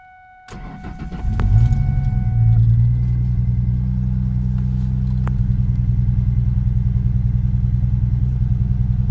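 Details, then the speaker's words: 2004 Ford Mustang 3.9L V6, about 165,000 miles, idles lumpy and uneven with a stumbling beat; code P0303 cylinder 3 misfire, caused by cylinder 3 spark plug wire damaged by header heat; cylinder misfire at idle. "having really bad engine misfire so I called buddy of mine and I use his obd to scan and found out that it has p 0 3 0 3 which is cylinder number 3 misfire"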